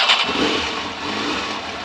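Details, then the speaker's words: Motorcycle with about 54,550 miles, sat two and a half to three months through cold spells: catches quickly and settles to smooth even idle in neutral, no knocks or misses; starts and idles healthy. "idol's lovely this i say it's been sat been sat for a good two and a half three months"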